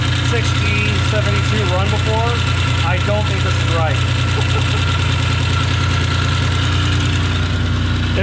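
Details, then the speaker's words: Dodge Stealth, first run after reinstalling a repaired ECU: rough, busy idle with uneven tapping about three per second over a deep rumble, idle RPM too high; owner suspects noisy timing-belt idler pulleys or a bearing, source unclear. "so she runs she's noisy I'm not sure what that's about"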